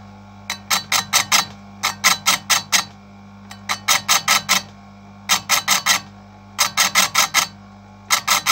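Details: Electric chainsaw chain sharpener used correctly: grinding in brief sharp bursts, four or five quick touches per group with pauses, light passes letting the cutter cool instead of overheating the chain; normal short-burst sharpening.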